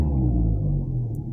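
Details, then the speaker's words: Seat Ibiza VAG 1.4 MPI (BXW) after oil pickup screen and sump cleaning for suspected oil starvation, after sitting: short low rumble on a throttle blip, no top-end tapping; hydraulic lifters quiet, though they start tapping by the fifth blip. "ничего машина мишка постояла поработала раз газую гидрики не не стучат"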